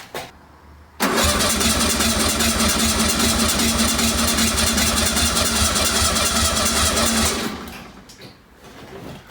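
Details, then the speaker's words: 1966-67 VW Beetle 1500 barn-find survivor after long storage, out of gear, king lead off to purge old fuel: about six seconds of steady even cranking, no firing; healthy starter motor cranking. "Well, the switch and the starter works, that's kind of good. God, haven't heard that starter motor in ages."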